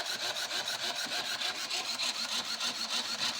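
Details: 2014 Nissan Versa with P0705/P0706 range-sensor codes, hesitation and a flashing check-engine light: fast raspy chatter, about three clicks a second, from the headlight motor when the brake is pressed; cause suspected.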